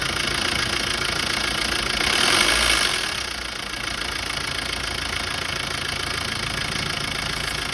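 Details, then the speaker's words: Diesel engine idling after a very long crank, loud busy metallic clatter from the timing chain end, louder than normal; timing found half a step off from a loose timing chain. "Normal sound അപേക്ഷിച്ചിട്ട് sound ഇച്ചിരി കൂടുതലാ ട്ടോ."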